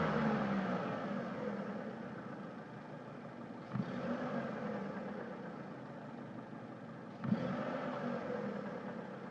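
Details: Mitsubishi Lancer IX: engine runs steadily, then two sharp single knocks about 3.5 s apart as revs fall off throttle; intermittent, not heard while driving, depends on the car's incline; cause unclear.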